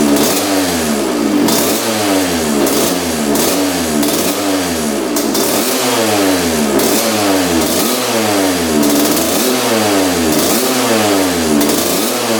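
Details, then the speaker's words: 1986 Honda CR125 two-stroke after pilot jet diagnosis, air screw about four turns out. Sharp, crisper throttle blips with slight breakup on return; still a bit rich because the 62 pilot jet is too big. "all right that sounds a lot better you can see right off the throttle it's really crispy so it was definitely the pilot jet so we are like four turns out on the air screw so that's allowing more air to come in what that tells me is that the pilot jet is too big uh for this bike right now"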